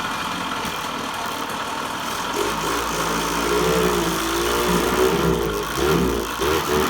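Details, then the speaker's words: Yamaha GT80 two-stroke, after repair, restarted once the brakes were fixed: it fires right up and holds a light, even idle with a couple of short throttle blips; healthy. "Oh, listen to that baby fire right up."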